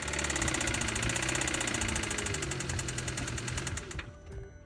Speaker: Customer states is this rod knock, time for a new engine.